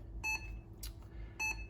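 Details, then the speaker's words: 1992 Olivetti M4-40 modulo 80486 computer booting with XT-IDE card but no hard disk fitted: two short high beeps about a second apart; POST error, BIOS cannot find the expected hard disk. "it's now complaining that cannot find the hard disk because it thinks there's a hard disk but there's not"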